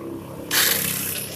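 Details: Yamaha Mio J scooter, electric starter pressed: starter whirs up to a high free-spinning whine with no engine turnover or compression beats; one-way starter clutch slipping (nge-LOS) with broken bolts, so the engine neither turns nor starts.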